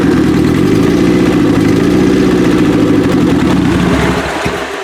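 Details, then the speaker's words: 1995 Acura Integra turbo B18, forged pistons and rods, block guard, aftermarket cams, new head gasket, first start: loud lumpy running with an uneven stumbling beat, some cylinders seemingly not firing; cause unconfirmed. "Sound like some of them weren't exactly doing their job."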